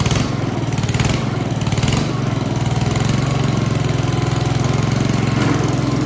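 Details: Honda HRX217 self-propelled mower after greasing rear wheel key, ratchet and spring, blade clutch disengaged: steady fast even drone, no misses or knocks; healthy.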